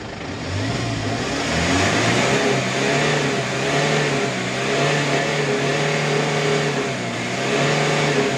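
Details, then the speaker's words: Kia K2500 diesel, after repair for white smoke at hard start and misfire: repeated clean revs rising and falling evenly, no stumble or lag; misfire gone, no more smoke, runs well. "Ayan guys ah naandar na tayo no So okay na yung andar Wala na palyado"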